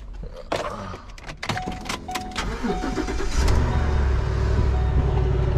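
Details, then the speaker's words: 2013 Ford Expedition cold start: starter whirs, then engine catches into a steady, even fast idle with no knocking or ticking; healthy cold start. "sounds that doesn't sound bad for a cold start there we go a little skinny whammy"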